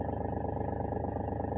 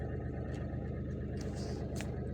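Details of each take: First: Mahindra TUV300 at idle, heard from the driver side: a steady low droning rattle with a fast even flutter, like something loose; diagnosed as a loose pipe under the bonnet, fixed with a piece of plastic. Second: Mahindra TUV300 diesel heard from inside the cabin after repair: smooth, even hum with no knocking or rattling, now silent after fixing a small pipe near the driver side that was hitting the plastic engine cover and causing an unusual loose-sounding noise.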